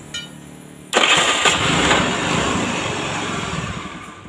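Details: Older carbureted Honda Beat that was hard to electric-start, good battery, starter one-way clutch (double starter) at fault: quiet tick, then sharp catch as it cranks and fires straight up into a steady idle; starter now engaging properly.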